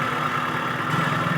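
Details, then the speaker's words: Suzuki Cultus EFI petrol engine idling with a steady high whirring from the front, like metal striking metal; traced to a worn belt adjuster (tensioner) bearing, replaced with a new one, engine then quiet. "इसके engine में से आवाज आ रही है जैसे हम engine start करते हैं तो आगे से एक इंजन में आवाज आती है ऐसी आवाज है जैसे लए से लुआ टकरा रहा हो"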